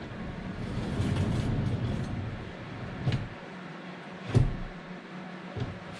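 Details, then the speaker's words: Vauxhall Vivaro sliding door after fitting new lower front rollers and setting the guide high: smooth low rumble along the track, then solid thuds, no grinding or rattle; door slides properly. "just give them a nip well that sounds quite nice"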